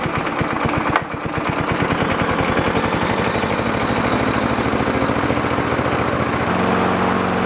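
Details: Scotts 6.5 hp self-propelled mower, previously non-running, started after fitting a new inexpensive eBay carburetor: small single-cylinder engine catches after a second and holds a steady, even firing beat without stumbles. Running normally.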